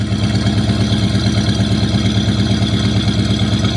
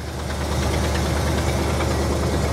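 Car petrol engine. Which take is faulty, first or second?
second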